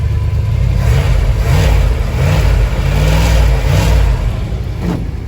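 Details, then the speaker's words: 1968 D-100 318 V8 first start-up: alternator charging, engine temperature still cold, decent oil pressure. Deep, smooth rumble with gentle rises and falls as the throttle is blipped, no knocks or ticks; running like a sewing machine, healthy and even. "listen to that it's like a sewing machine"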